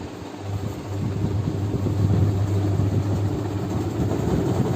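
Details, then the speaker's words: Whirlpool Stainwash Ultra 6.5 kg top-load fully automatic washing machine after gearbox replacement: motor switched on, steady low hum building smoothly with no grinding or rumble, the earlier noise from the gearbox and bearing problem gone; normal spin. "फिर रहा है, कुछ भी आवाज़ नहीं है ऐसा जो पहले स्टार्टिंग में थी, जो गियर बॉक्स और बेरिंग की प्रॉब्लम की वजह से, तो आवाज़ ही नहीं, नॉर्मल आवाज़ है।"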